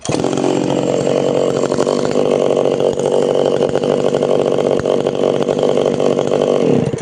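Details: Tanaka PowerMate PMS340 pruning saw two-stroke, cold engine, first test after repairing a failed fuel delivery system that stopped it revving up: steady, clean high-rev buzz without bogging or stumbling, then cuts off.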